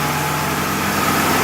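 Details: 300,000-mile 4L80E 4x4 automatic after full overhaul (valve body bored, light shift kit, new solenoids, seals, clutches) on dyno, holding fourth gear: steady high-speed drone with faint even whine, no clunks or flare; healthy transmission.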